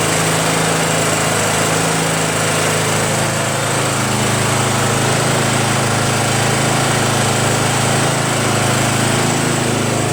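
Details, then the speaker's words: Craftsman (Yard Machines) chipper shredder small single-cylinder flathead engine after starter replacement and valve-seat clean-up: steady, even drone with a smooth exhaust beat, no misses or knocks; running healthy. "no problem starting now the only reason why this thing was in my garage because I needed to fix the starter you know what I mean"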